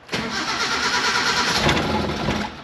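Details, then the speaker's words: Mini truck that has been sitting, runs rich and rough, spark plugs suspected: the starter churns steadily for a couple of seconds but the engine never catches. The battery is fading and needs charging or replacing. "ah we're so close i don't know about this one guys i don't know about this one come on booger fire up for me all right guys we're going to charge battery a little bit here"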